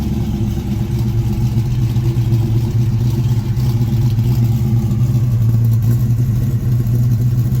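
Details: 1967 Ford Mustang V8 being inspected before purchase, warm engine: deep steady rumble with even beat, no knocking or ticking; runs strong; normal warm running.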